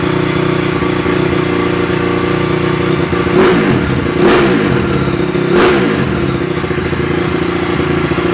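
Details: 2004 Honda CRF250R, hard starting, after valve adjustment back into spec, leakdown about 6%: crisp single-cylinder idle with three throttle blips rising and settling cleanly, no misses or rattle; normal running.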